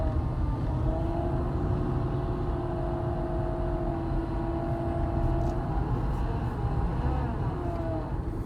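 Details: 2008 Honda Accord: a faint steady whine that rises and falls slightly over the low engine hum, from the A/C compressor clutch area. The owner suspects a bad clutch bearing; unconfirmed.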